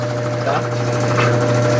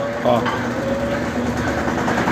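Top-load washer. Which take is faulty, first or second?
second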